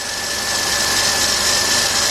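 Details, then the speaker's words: 2003 Jeep Liberty Sport 3.7 first start after partial engine rebuild: steady idle with a constant thin high whine over a hissy top end; tensioner pulley didn't sound good, some oil smoke burning off. "little drilling around here coming it that a tensioner pulley didn't sound too great in it"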